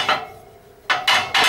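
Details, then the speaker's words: Rolls-Royce RB211-22B front fan at rest, blades rocked by hand: a few loose metallic clacks in quick bursts as each blade's clapper bangs against the adjacent blade's clapper on its fir-tree root; normal, the same rattle heard on engine rundown. "the noise you're hearing when the engine runs down um is basically the clappers That's The Clapper there banging Against The Clapper of the adjacent blade"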